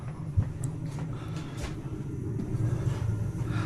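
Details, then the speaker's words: Boiler fired up during an HVAC service call: a low, steady rumble builds as the burner lights, with a few light clanks over it, normal firing; no leaks found. "Let's open this up. Turn it on. And let's fire up the boiler and see if everything gets warm. Funny, it's going to be 80 degrees today. I'm working on a freaking boiler. I heard it kick on."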